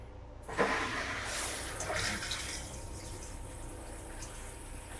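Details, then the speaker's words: Vintage camper toilet during first water test: steady rushing and hissing fill that won't shut off and nearly overflowed the bowl. The owner suspects a stuck valve. "Not really sure what happened there. Um, wow. I think my valve is stuck. Yeah, maybe. Now it's stopped. Wow. I think that valve is stuck. Glad I checked that. That was nearly overflowed."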